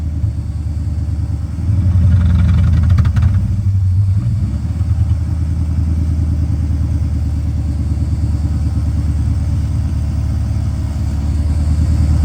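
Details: 1984 Mercedes 500SEC Euro-spec V8: high steady idle that surges briefly on throttle then sags, bogs and labours toward stalling; fuel starvation, the pump isn't keeping up.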